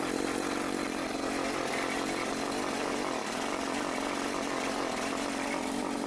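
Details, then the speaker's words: Troy-Bilt TB554 lawn edger after drive belt replacement (35.75-inch belt): small engine revs high and holds a steady, even buzz with no surging or dropouts; running as it should. "Okay, just gonna try and start it up."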